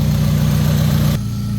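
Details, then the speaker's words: Honda Civic after exhaust leak repair, crush gasket and hole welded, new hanger, heard from inside on test drive: deep even idle rumble, steady beat, no ticking or puffing; engine and exhaust healthy, no leaks. "Oh yeah, I could already hear the thickness on it. There's no saw leaks on it."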